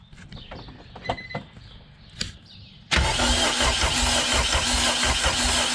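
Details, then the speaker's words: K20 swapped into EF Honda hatch, stock ECU with OEM immobilizer, fuel pump bypassed, battery weak: a few clicks then starter spins steadily about three turns a second without firing; crank no start, immobilizer/key suspected. "so you saw our attempt at trying to get this thing to turn over and uh with the stock ecu and uh all that like oem immobilizer stuff so we've thrown in the towel"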